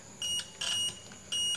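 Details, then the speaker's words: PS2 Fat that won't power on green at reset: three clear high beeps on the continuity meter across a capacitor/elco, which should never beep, so it is shorted. "harusnya enggak bunyi untuk Elco dan kapasitor itu harusnya nggak bunyi-bunyi"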